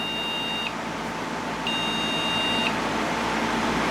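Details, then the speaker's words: Replacement Proxmox backup server board at first power-on: steady, high, second-long beeps repeat over the fan hum as it fails its start-up self-test. A memory problem is suspected, with only three of four modules found; unconfirmed. "sounds like a memory problem so we'll adjust that"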